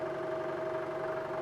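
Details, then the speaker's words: Iscar positive-rake face mill on pre-hardened steel: steady high ringing chatter over the cutting hiss; insert geometry suspected, and a different face mill cut better. "Even a 25,000 pass was having some issues. I might have to switch to a different face mill."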